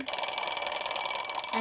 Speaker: Yeah, so this is how it is. It's really loud.